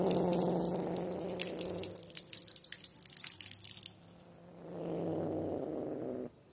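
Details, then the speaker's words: Pressure washer with a downstream chemical injector: spray hisses steadily, then the tone changes and drops away; under high back pressure the injector can no longer siphon chemical. "hear that noise means it's not trying to siphon anymore it's trying to siphon the higher the pressure the higher the back pressure the harder it is for this to siphon"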